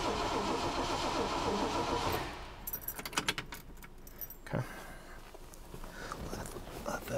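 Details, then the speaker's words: 1969 Ford Mustang Mach 1 after over 20 years in storage, second crank with coil lead off before reconnecting it: even starter churning about four beats a second for two seconds, never fires; cranking no start, ignition coil lead disconnected. "Let's give that starter just a second. Let's do one more crank and then I'll hook up the coil wire again."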